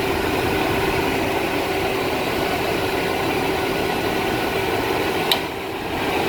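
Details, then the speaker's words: 1997 Chevy 1500 truck at idle whose A/C blew warm and clutch cycled fast, after a new aftermarket cycling switch and recharge: a single clutch click as the compressor drops out and the engine note eases; it now cycles normally. "Alright, saved having to look at that machine, but now look at what we got. Compressor runs, cycles normally."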